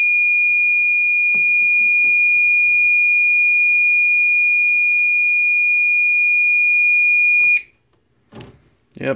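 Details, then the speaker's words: APC XS 1300 desktop UPS (new battery, can't hold load on battery). With the thermal sensor wire cut, a steady continuous high-pitched alarm holds for seconds, then stops: still the F07 temperature fault, so the sensor was probably good. "the fo7 okay so maybe that temperature sensor was good"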